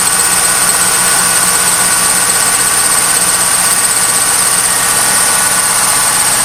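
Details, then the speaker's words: 1998 Pontiac Trans Am just started: fast high bird-like chirping runs continuously over a steady idle, lasting about 10 minutes and audible throughout the garage; the cause was later found to be a dry-rotted A/C belt slipping. "It's starting up now. If you can hear that, I'm not sure what it is, but it's really fucking annoying. And it does this for a good 10 minutes."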